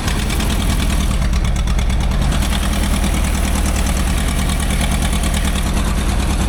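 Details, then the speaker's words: Old Asplundh JEX Chuck n Duck wood chipper engine, sold as not running, first start with oil pressure: deep even idle with a steady low rumble and no knocks or stumbles; the engine runs smooth and healthy. "Even got oil pressure and it's running. The guy told me it doesn't run. No way. Did not expect that. I mean, this thing purr like a kitten."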